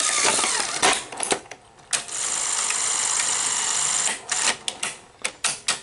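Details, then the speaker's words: Sony SL-HF900 Betamax that plays then stops: uneven whirring with irregular clicks and bursts after a switch fix, better but still faltering take-up reel drive; reel motor to be replaced. "it's doing better um you can see it's doing a little bit better but it's still doing it somewhat slightly not nearly as bad as it was"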